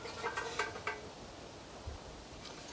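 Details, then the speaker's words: Kohler Courage 19 hp engine on an Ariens garden tractor: metallic clatters and a sharp knock as the muffler is shaken, a loose internal baffle rattling; planned fix is cutting a slot to remove or tack-weld the baffle, then welding the seam. "Either pull the baffle out, or maybe I can tack it back in place and then weld up the seam that I cut in it. That's today's job. And I'm not putting up with that. That is very annoying."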